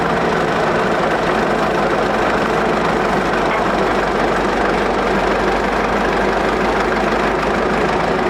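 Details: 1941 Caterpillar dozer, sat for a few years: engine holds a steady idle with constant low rumble and clatter, no misses or surging; it will only idle so far.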